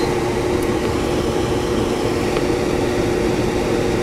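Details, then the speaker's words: Whynter ARC-14SH 14,000 BTU portable air conditioner in fan-only mode, compressor off, at medium-to-full fan speed; steady even whoosh of air with a faint low hum, no rattles or ticks: normal fan operation. "first I will run the machine in the a fan only mode that's turned on so this is no fan only and this is full our friend 65 decibels without my voice now little bit less fan"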